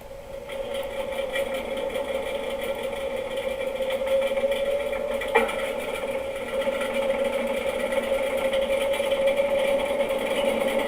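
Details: Washing machine on spin: steady mid hum with fast uneven popping rattle like popcorn, caused by a screw trapped between tub and drum.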